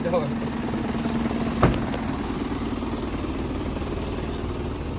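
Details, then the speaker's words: Isuzu 4HK1 diesel truck engine (NPR/NQR90), previously knocking, running after repair; the driver reports the engine works fine: steady, even low diesel rumble with no knock or tapping. Normal idle. "Доехал всё хорошо спасибо большое мотор хорошо работает без проблем спасибо громадное"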